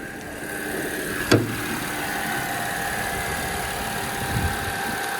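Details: B8 Audi S4 after replacement transmission fitted, idling with hood open: even steady idle with faint constant whine over smooth hum and one brief early clunk; runs healthy, though car smells rich and uses fuel quickly.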